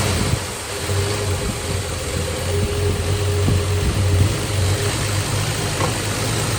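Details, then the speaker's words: 1961 Valiant six-cylinder, first start after sitting over 30 years with cleaned points and spark restored: steady, even low rumble through a glass-pack exhaust, no misses or knocks; normal healthy idle. "they said it had a glass pack on it I can tell wow that's running pretty that sounds a lot better yeah"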